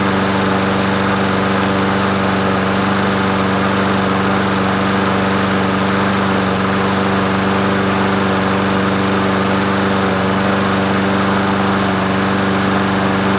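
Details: Murray 22-inch push mower 22526x92a, muffler cleaned and primer bulb working: steady, even single-cylinder drone at constant speed with no surging, knocks or rattles; running cleanly.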